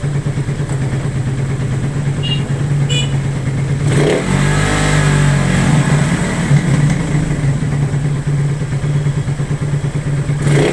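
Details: Single-cylinder motorcycle hard to start, idling with an irregular stumbling beat and occasional sharp backfire pops as it revs; the engine is misfiring, cause not yet found.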